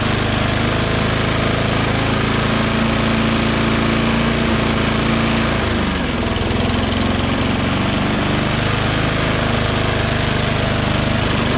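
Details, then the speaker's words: Mower with oil and gas, wouldn't start after three or four pulls, started on starting fluid: engine hunts and stumbles, speed sagging and surging instead of holding steady; erratic rough running, cause unconfirmed. "i shot some gogo juice in there and then it started up however then it started to run really um erratically you know i'll show you"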